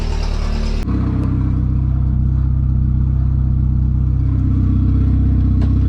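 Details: Mk3 VW Golf turbo with no exhaust fitted, warm after about 10 minutes idling, temperature steady mid-gauge: low even hum near 900 rpm, steady pulse, no knocks or misses, no leaks; smooth healthy idle.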